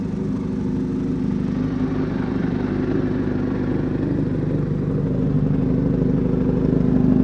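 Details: 1983 Kawasaki GPZ-550 garage find after carb rebuild and tuning, Kerker exhaust: four-cylinder pulls cleanly, exhaust note rising gently under throttle, no knocks or rattles; running healthy.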